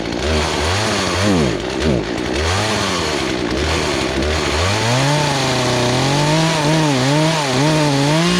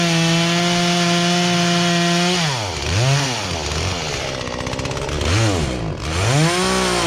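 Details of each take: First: Poulan Pro two-stroke chainsaw that sat three years and never ran right, high-speed screw being turned counter-clockwise for suspected fuel starvation: revs surge and sag, hesitating on throttle blips, then settle into clean steady high buzz. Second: Poulan Pro chainsaw that sat unused in a barn for three years and never ran right, after low and high carburetor adjustment with a tool kit: high steady scream, pitch dips and recovers with each cut, clean pickup; normal running under load.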